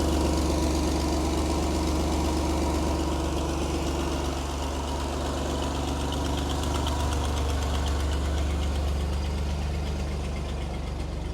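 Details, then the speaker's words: Vintage flat fender Jeep with Sniper 2 EFI after a new vented, baffled tank with in-tank fuel pump, fitted to fix fuel delivery and aeration problems: steady idle pulse of about four beats a second with no misses or knocks, fuel pressure a bit over 60; normal idle. "it starts right up we got 60 it doesn't leak when it's on it's got pressure"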